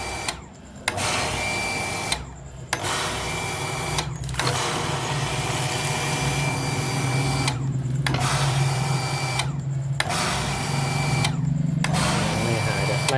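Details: Hitachi home water pump that cycled on and off, after replacing the plastic air tube and reusing two rubber seals: motor hums a second or two, cuts out and restarts repeatedly. Short cycling from trapped air; check valve must be bled.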